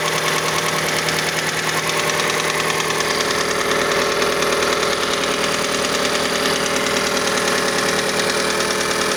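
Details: Mazda CX-5 petrol engine at cold idle: light, fairly regular tapping around a hundred a minute, present until about 70 degrees; cause unknown, variable valve timing mechanism suspected, not confirmed.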